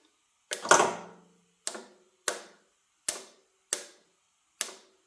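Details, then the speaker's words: 1936 BB truck with positive-ground electrics: six sharp single clunks about a second apart with no cranking whir. The starter engages but lacks the power to turn the engine. "I'm thinking to grab the motor but it doesn't have enough power to turn the motor"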